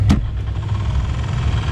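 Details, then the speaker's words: Vehicle at 155,793 miles, blower fan dead on all speeds: after wiggling the connector a click then steady low hum as the blower motor kicks in; black soot shows worn brushes hanging up intermittently. "Oh, that's just dirt. It's dirty from the brushes. When you look at these connectors, see all that black soot? That's from the brushes in the electric motor. That's why when I hit it, it started working, because the brushes are hanging up."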